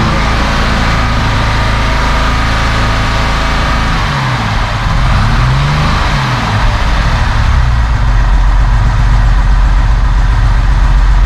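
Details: 1971 Mercedes-Benz 280 SE (W108) six after its mechanical fuel injectors were cleaned and bench-tested: smooth even idle, clean throttle blips rising and settling evenly, no missing; a little smoke, possibly slightly rich; sounds good.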